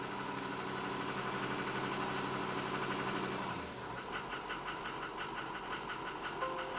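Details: 2005 Ford F250 6.0 Powerstroke diesel after rebuilt larger 190cc injectors with 30% over nozzles and turbo: uneven idle, irregular knock about three per second; power balance shows cylinder 3 high, also 2 and 6; owner suspects worn spool valves.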